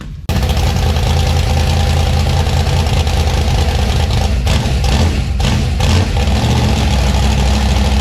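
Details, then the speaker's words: 1956 gasser V8 with new 750 Holley carb, after setting timing: fires at once and settles into a steady, even lumpy idle with crisp revs and no miss or knock. Healthy running. "good all right that thing sounds beautiful and the throttle response is ridiculously crazy on I'm happy where it sounds good"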